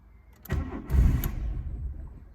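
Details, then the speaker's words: 1991 Volkswagen Jetta at 126,000 miles, first start after two years sitting: starter cranks in low, uneven bursts and the engine nearly catches with a brief rumble but won't idle, before the choke is pulled. "oh almost there oh oh oh no right i think if i just pull the choke out which is down here"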